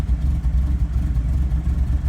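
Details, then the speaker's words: 1961 Triumph TR3 at idle: deep, uneven, stumbling idle that nearly stalls, the owner's complaint of a rough, choppy bad idle, along with an oil light and charging gauge activity; cause not yet found. "yeah it's all rough and choppy this is what the owner was complaining about oil light rough choppy bad idle"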